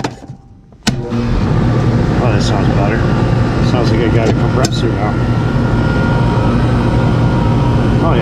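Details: Older Goodman R22 AC unit, capacitor replaced last year and dead again, owner reports power outages: silence, then sharp clack as contactor pulls in and compressor settles into steady, even low hum; normal compressor running.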